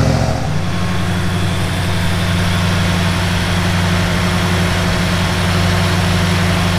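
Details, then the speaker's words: 1971 Plymouth Duster 340 V8 installed in a 1936 Dodge street rod, after hooking up the heater and refilling antifreeze: steady, even low rumble with no knocks, misses or ticks; smooth normal idle. "it took a heck of a lot more antifreeze than we thought initially but so far it sounds good"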